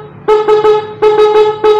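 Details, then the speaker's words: Standard motorcycle horn, before repair: two sets of three short toots with a thin, reedy, nasal, hoarse tone, weak, likened to a snail horn; owner goes on to remove it to fix it. "Klaksonnya menurut kalian ini suara klakson apa nih? Ini klakson standar ya. Kalian bisa lihat. Tapi suaranya kayak klakson keong. Jadi saya namain klakson siput."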